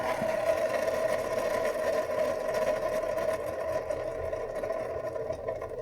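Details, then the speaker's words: 2013 Chevrolet Cruze EcoTec with whirring at idle and speed: steady whirring hum over an even idle, heard spinning pulleys with belt off; failed alternator bearings, alternator replaced. "Yep, that'll be the culprit then. Looks like we got a new alternator replacement."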